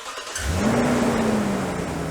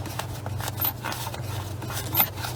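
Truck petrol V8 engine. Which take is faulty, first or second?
second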